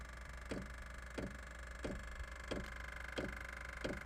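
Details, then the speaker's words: Amazon diesel heater newly installed under an off-grid yurt, starting up turned to high: soft, slow ticks about every two-thirds of a second over a low hum; normal, slightly noisy fuel pump clicking before it fires, though owner also heard a fan-like sound. "I know the fuel pump's a little noisy but that's usually a slower tick it sounds like a fan maybe a bug climbed in there or something but we'll give this SEC here and see if it fires up"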